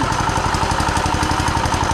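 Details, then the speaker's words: Turbocharged 420cc single-cylinder go-kart engine, rebuilt after being blown up, running and drifting with a hard, hammering low rod knock on every beat. "oh my God I don't know if you guys can hear that she is just knocking at the door"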